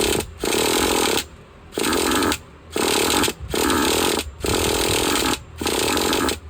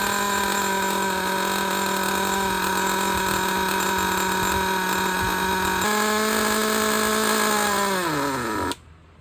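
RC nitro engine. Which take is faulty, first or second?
first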